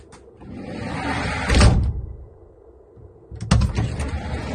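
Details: GAZ Sobol 4x4 diesel van sliding door rolling shut with a hard metallic bang; door mounts misaligned, fixed by adjusting position, tightening upper then lower mounts; also knocked over speed bumps.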